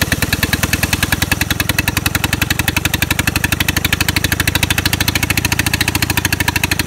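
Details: Onan MEP-802A military diesel generator has a hard, clattery knock of about fifteen beats a second and runs rough; injection pump problem, number two injector gives a weak squirt.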